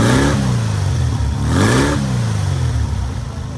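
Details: Newly rebuilt air-cooled VW 1600cc flat-four on its first start and break-in: clean throttle blips rising and falling smoothly, steady low drone between them, no knocks or rattles; normal running.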